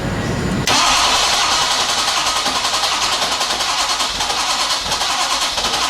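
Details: Ford F250 with 6.7 Powerstroke turbo diesel in a no-start condition: steady starter churn with even compression pulses, about three and a half per second, but the engine never catches; cranks without starting.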